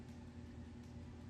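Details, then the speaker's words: Taco stainless steel cartridge-style circulating pump on a Central Boiler outdoor furnace, tested: quiet, steady low hum at constant pitch, no rattle or grinding; the pump sounds healthy. "That one sounds good too."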